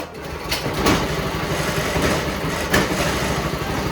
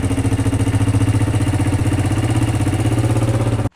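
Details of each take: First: Pull-start engine, oil checked and fresh gas added: a few pull-cord rasps, then it catches on the second pull and settles into a steady, even putter without stumbling; it starts easily and runs normally. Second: Honda Shadow motorcycle idling: steady fast puffing with hard chuffing on every pulse from exhaust escaping at a previous owner's bad exhaust weld; leftover welding wire also smoking.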